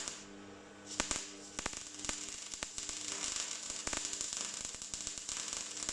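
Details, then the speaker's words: MIG welder after restoring a poor wire contact: a steady frying crackle with sharp irregular pops, like bacon in a pan, shows a well-set arc laying a good bead. "yeah that's better get that bacon crackle happening"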